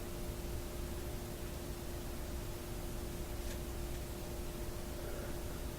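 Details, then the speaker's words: Westinghouse 1398 AM/SW/FM tube radio after a shorted switch, powered on current limiting at about 90 V (85% line voltage): low steady hum with two faint constant tones under quiet hiss from the speaker; switch still sparking. "so I can hear the speaker humming and we're running around about 85 percent of normal line voltage somewhere around 90 volts or so supply to the set"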